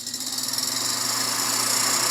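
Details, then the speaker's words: Samsung convection oven with two fans running on bake: fast pulsing, hissy scrape over a high fan whirr; a fan seems to be rubbing its housing. "oh yeah i think we got a fan rubbing up against the house in there"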